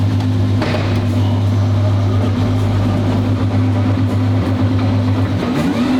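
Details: Twin-turbo V12 Ferrari on first shakedown after build, on the ground for first drive: smooth, even low V12 hum at idle, steady pitch, no knocks or misses; healthy idle.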